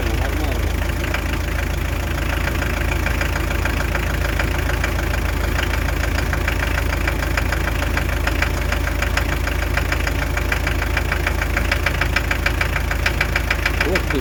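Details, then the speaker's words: Hyundai Terracan 2.5 diesel D4BH, after head removal and refit with timing set to the marks and valves adjusted: sharp, steady knock about three times a second over the idle. "Что может быть? Что за стук такой непонятный произошёл?"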